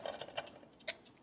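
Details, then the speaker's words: Smiths alarm clock that was already running too fast, with the rear regulator turned toward fast (shortening the balance spring): light, quick ticks about five or six a second. The clock is running fast and gains time. "you can probably hear it's now running faster so that's the that's the increased speed adjustment"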